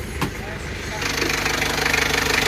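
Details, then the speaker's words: Isuzu Panther 2.3 diesel after test drive following rebuild (broken piston replaced): steady idle, even clatter, no misses or stumbles; oil filler cap opened shows no smoke, blow-by cured. "tutup isanulinya Alhamdulillah sudah sembuh ya enggak ngasap ya sudah sembuh Lur engak ngasap"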